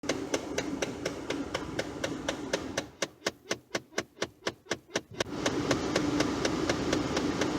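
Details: Ford F-150 with the engine running; a sharp, regular click about twice a second from behind the dash, steady and unchanging. The A/C blows only through the defrost vents, and the owner suspects a blend door actuator.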